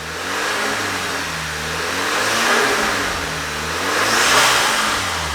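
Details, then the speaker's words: 2.0 TSI VW Scirocco first start after repairing an engine knock: engine held at raised revs, smooth and even with good oil pressure and no knocking; normal running. "i'm just giving it some revs and monitoring the oil pressure which is really good just so the engine isn't you know at idle it sounds good"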